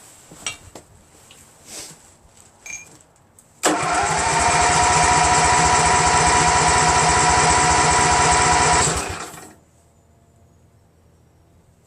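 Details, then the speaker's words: Craftsman GT6000 garden tractor repowered with Briggs & Stratton Vanguard 16HP horizontal-shaft engine, first start attempt; starter spins engine steadily about five seconds without catching; crank no start, fuel pump found busted, no fuel delivered. "so I'm gonna crank it and see I'm gonna take a while for it to get any fuel of course you dope"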